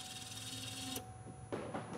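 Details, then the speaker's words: 2004 Chevy Tahoe 5.3 flex-fuel (VIN Z), fuel pressure gauge fitted, pump relay reinstalled, key turned on. A faint, even hum for about a second that then cuts off cleanly: a normal fuel pump prime. "I'm going to put the fuel pump relay back in so turn the key on turn the key on"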